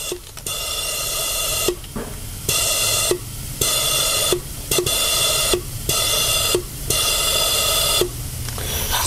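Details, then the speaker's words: BMW 1 Series (E81/E82/E87/E88/F20/F21) purge control valve solenoid bench-tested for P0443/P0444, powered by alligator clips with about 5 psi compressor air: sharp hiss bursts with soft solenoid clicks, valve opening and flowing normally. "you can see guys definitely a good working valve now"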